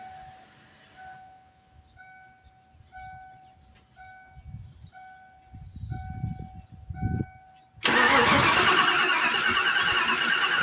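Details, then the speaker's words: SN95 Mustang at first start after sitting, gauge showing half a tank: the starter churns steadily but it never fires. The fuel pump sounds like it runs, but no fuel reaches the engine and fuel is leaking near the tank. "no fuel sounds like the fuel pump is working says it's got half a tank got no fuel though"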